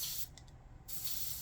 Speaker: It is filtered, and then you can kind of hear the air hissing, so I know that I'm out of